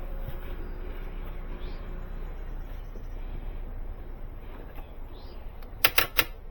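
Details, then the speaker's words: Vehicle with a clicking no-crank: a few sharp clicks in quick succession and no cranking, with arcing seen at the back; a poor battery connection is starving the starter, and the fix was the battery connection. "All right, stop. Yeah, something's grounding. I'm getting arcs back here."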